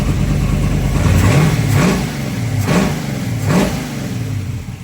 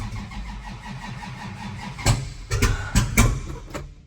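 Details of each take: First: 1963 Dodge 330 with factory 426 Max Wedge V8, revved in a hangar: rumbling V8 with quick throttle blips, revs rising and falling cleanly; normal revving, timing about right. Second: 1963 Dodge 330 with 426 Max Wedge V8 and twin carbs, first start after a Pertronix electronic ignition swap replacing the dual points, cold with no carb preheat. It catches and settles into an uneven, lumpy idle with irregular blips; owner suspects late timing.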